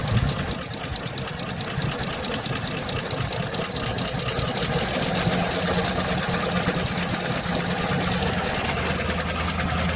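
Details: 2007 Chevy Express 3500 van V8 at idle, before treatment and still on old oil: a fast, light ticking of about four clicks a second runs steadily over the idle. No smoke; the owner had hoped it was a pulley. Sticky lifter tick.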